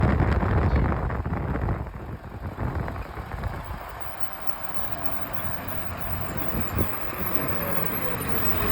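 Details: Navistar T444E diesel idling with clatter that lopes and surges unevenly, like a cylinder dropping out; owner unsure whether it is a misfire or normal diesel knock.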